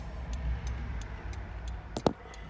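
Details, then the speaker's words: 1983 Ferrari 308 under rebuild, electrical faults being tested: light, even ticking about three clicks a second over a low hum, hazards flashing; normal hazard flasher relay ticking. "One of the things that wasn't working, so we could hear our hazards working."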